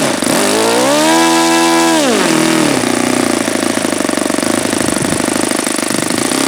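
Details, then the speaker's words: Saito FA-72a model engine, first run with APC 12x7 prop, outdoors at about 71°F: rises to a high steady pitch, then drops to a rough, stuttering low idle; owner suspects too lean at the low end. "See, now that seems like it's too lean on the low end there."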